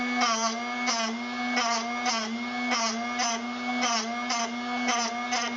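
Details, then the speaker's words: Drill Doctor 750X sharpener grinding a worn drill bit: steady motor hum with rhythmic grinding strokes about once a second as the bit is rotated, grind diminishing and barely cutting; bit nearly done, normal sharpening. "Starting to diminish. Barely cutting anymore. That's probably about done."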